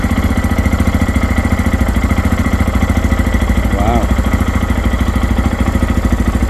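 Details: New Lifan KPX 250 (249 cc EFI single-cylinder, 6-speed, overhead cam), first start after priming the fuel pump, in neutral: an even, steady, quiet idle thump with no misses, ticks or knocks, running normally.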